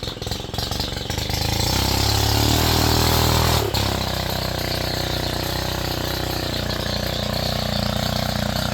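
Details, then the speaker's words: Stihl FS 91R weed trimmer rebuilt from spare parts after head had locked up: catches and settles into steady, even two-stroke idle, no stumbling or surging; head stays still, centrifugal clutch closed at idle. Normal idle. "see it's not moving that's what it's supposed to do that clutch is in the closed position"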